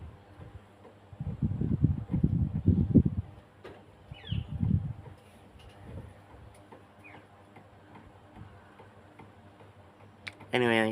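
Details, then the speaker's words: 48-inch Coolway ceiling fan with rust and noisy bearings, running very slow: light uneven ticking three to four a second plus faint buzz; owner suspects damaged motor bearings, possibly the canopy; clicking noise. "it does have a bit of a motor issue as well I think one of the I think half of the Waring is are damaged or something cuz it makes a pretty Buzz well it could be the canopy but makes clicky Sands as"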